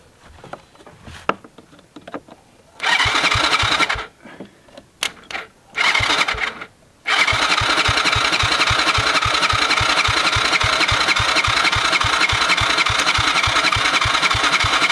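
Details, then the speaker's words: Cheap Chinese kids quad, sat for years, fuse hot-wired, after the spark plug cap was refitted: steady starter churning at about three and a half beats a second with no firing. Cranks but no start. "I'm sorry, but no spark. Okay, we have to figure out this sparking issue."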